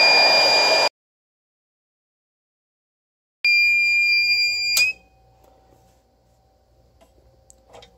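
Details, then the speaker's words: DIY generator of Nissan Leaf modules and a Reliable 1500 W inverter running a hair dryer after thicker input cables were fitted. Shrill steady beep, then a long beep: inverter low-voltage alarm as the battery drops below about 20.5 V. "the voltage was dropping off significantly and the noise it starts making is so annoying at twenty point five volts it starts dipping down below that the noise started that it's making it's pretty crazy"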